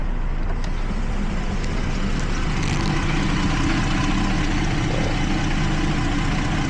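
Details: 2012 Jeep Liberty 3.5 L V6, after fixing a coolant leak (untorqued radiator bleed plug) that soaked the engine bay and caused cylinder 1 and 5 misfires: smooth, even idle with steady rumble, no miss or stumble.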